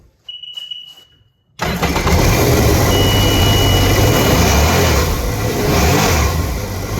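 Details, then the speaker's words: Sea-Doo RXT being tested for no oil pressure: warning beep, then the engine catches and revs hard to high RPM with a steady alarm tone under it; idles fine, pressure lost when revved, concluded oil pressure regulator stuck open, to be replaced. "that's got to be it. It's that pressure regulator stuck open."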